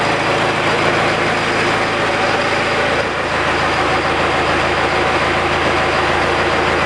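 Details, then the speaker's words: 68 Bronco with 4BT Cummins diesel at idle after new liquid-filled motor mounts: steady, even, low smooth beat with no shake or knock. Before, the mirror blurred from vibration at idle. "and that mirror kind of tells the story right there because before even at idle this thing would vibrate so bad uh everything in this mirror was just a blur"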